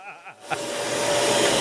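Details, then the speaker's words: Dyson Animal ball vacuum motor running at 712 W, 6.04 A, power factor 98%, about 80–85 dB at ear level: spins up in half a second to a steady high whine with even airflow hiss, no rattle or warble; runs normally. "very likely at ear level you're probably 85 80 85 decibels so you're you're right on the cusp of needing hearing protection"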